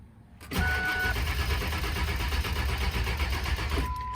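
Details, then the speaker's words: 1999 Ford F250 7.3L Powerstroke diesel, suspected to have run out of fuel, still won't start after diesel was added: a slow, labouring crank that never catches as the battery fades. Air in the fuel lines is suspected, and a fuel filter change is planned. "You can hear the battery's getting low. It's not even trying to do anything at this point, which is very disappointing."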